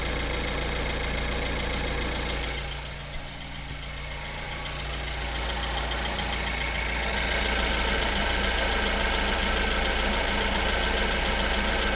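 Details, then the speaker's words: BMW 1 Series N43 engine, first start and idle after a DIY bottom-end rebuild for spun bearings: a light, even tick about three or four times a second from the fuel tank purge solenoid; normal, not a fault. "and this weird noise is actually the per solenoid for the fuel tank so this noise is definitely not a problem"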